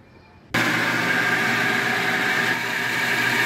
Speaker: The pressure gauge is going down slowly because the tank reservoir is filling .